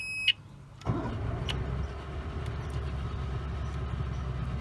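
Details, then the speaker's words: 1992 Mariner 40 HP Magnum oil-injected outboard after repairing oil reservoir float magnet: one short key-on beep, then steady running, no continuous low-oil alarm; normal running. "there's no beep you can hear the motor running csp is a good steady stream so we'll call this one a success"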